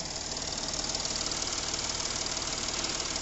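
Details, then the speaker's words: Porsche Cayenne 3.0L TDI misfiring on starting: uneven, shaky diesel idle with two or three stumbles a second, rough running from injectors on one bank. "ये अपना गाड़ी है ना start कर रहे हैं तो गाड़ी मिसिंग हो रहा है"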